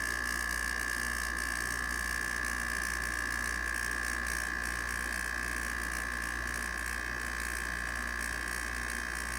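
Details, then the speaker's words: 1989 Panasonic 5000 BTU slide-out window air conditioner, out of its chassis: rotary compressor's first start since last year gives a steady hum with fast, even chatter and a constant high tone. Normal compressor run. "I think you should click on me will get the compressor to fire up this is the first time the compressors been run since last year"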